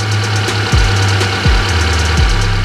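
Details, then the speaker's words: Fuel-injected car with ISC idle control (tagged Hyundai), coolant nearing 60°C: steady low idle hum with smooth firing, speed easing down and settling as it warms, getting more normal the hotter it gets; normal warm idle. "nah ini hampir mendekati 60 derajat RTM sudah mulai normal sedikit normal ya artinya sudah bagus nanti semakin panas semakin normal"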